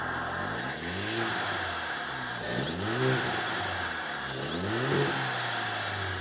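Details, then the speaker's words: Turbocharged manual car, straight piped, airbox replaced by cheap open filter, mic in engine bay, diverter valve plugged in (stock): two sharp blips, engine note climbing with rising turbo whistle; normal spool and rev. "A couple things that add to the turbo noise itself is having a filter or an intake. In this case, we just did the cheap auto parts store filter, took out the air box, and we did that just for sound."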